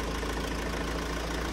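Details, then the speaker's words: Van engine idling with drive belt removed, checking for earlier whine: low, smooth, even idle with no whine or squeal; quiet and healthy. "Let's start it up, see if we've got a wine still. Oh, that's quiet."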